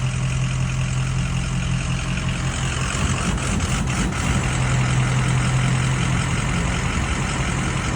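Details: Ford 6.0 diesel after 30 miles with REVX additive: heavy idle with uneven loping beat and stumble every few firings; rough idle, cause unknown.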